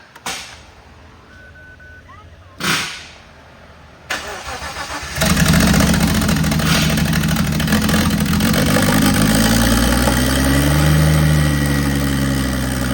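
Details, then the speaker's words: Nissan R34 drift car, first start after the engine was rebuilt and reinstalled with new wiring harness and fuel system: a few cranking attempts, then it catches and settles into a steady, even idle with a slight rev; normal start and idle. "then we can fire this thing up and hear what it sounds like make sure everything's good since we had it all apart"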